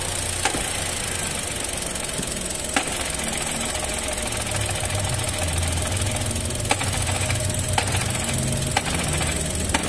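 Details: 2023 Chevrolet Onix at idle with an aftermarket Helper clutch installed under 3 months ago: low rumbling drone and sharp clicks that change as the clutch pedal is pressed and slowly released, pointing to the clutch, not the gearbox. Fixed by fitting the original clutch.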